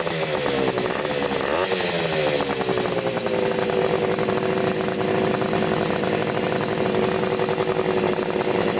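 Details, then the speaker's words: 1975 Yamaha RD350 cafe racer first start after sitting about four years. Crackly, buzzy, slightly uneven two-stroke running with a lumpy note; owner suspects the choke is on. Rough running on first start. "Mendy it's cuz the choke is probably on oh yeah oh yeah oh sorry start it up again with the choke off see if it runs"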